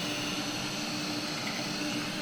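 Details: Robot vacuum cleaning a room: steady airy whir with faint constant mid-pitched hum, no rattles or grinding; running normally.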